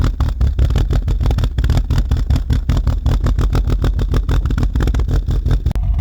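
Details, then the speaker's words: Mk2 Golf GTI 16v with a rebuilt 1984cc engine and a long-chased idle problem, heard at the tailpipe: deep, uneven pulsing, chuffing thumps at idle and on revs from a restricted rear silencer whose baffle blocks the gas flow. "when I move my hand closer to the tailpipe it's got that Popp now Popp is that's okay that's what mine sounds like but it's the pulsing of that noise as soon as we move high and closer you can really hear the difference"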